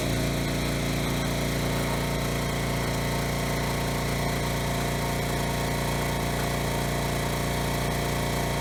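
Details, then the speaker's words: Generac generator after replacing the broken blower housing that misaligned the recoil, running at no load at about 60 Hz: steady, even drone with no surging and no recoil scraping; running normally. "okay so it started pretty well runs well no surging or anything"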